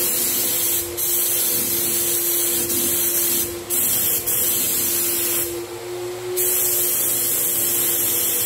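Steady high-pitched turbine hiss with an even airflow roar, brief dips as the trigger is pulled; the sprayer runs smoothly and normally.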